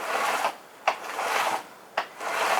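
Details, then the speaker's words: Ryobi R36CHS10 36V cordless chainsaw, 10-inch bar, after cleaning and re-tensioning the chain, run unloaded: three short even whirring bursts with a brief click between, no rattle or grinding; chain runs smooth, normal. "sounds good. It's running smooth. There's no abnormal noises."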